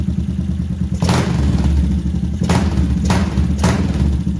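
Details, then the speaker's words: Yamaha SR500 single cylinder at first start after an engine overhaul and carburetor fixes, with the air filter off: a deep, booming idle with sharp, crackling throttle blips, because the Akrapovic silencer is unpacked and uninsulated. "because it's loud, the exhaust doesn't insulate at all"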